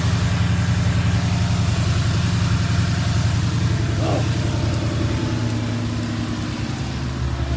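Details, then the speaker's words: Ford Mustang GT V8 after bearing replacement to cure a knock: steady, even idle with deep rumble and no knocking or tapping from the bottom end; healthy, though a radiator water leak appeared. "The motor sounds good."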